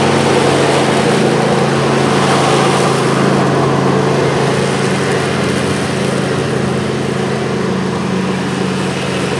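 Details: John Deere LA135 42" mower deck after a rebuild kit (new blades, belt, pulleys, spindles) fixed a horrible whining with the blades engaged: smooth, even drone with steady low tones, no rattle or squeal; deck spinning healthy.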